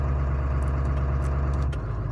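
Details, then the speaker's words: Ford 7.3 Powerstroke diesel, first cold start at 34°F with new injectors and glow plugs and new tuning: deep even rumble at raised cold idle easing down slightly; idle sometimes cycles when cold, owner may consult tuner; running fine. "it's kind of kind of that weird Idol which normally as it's doing right now it'll just bump up in the idle as idle as it's cold"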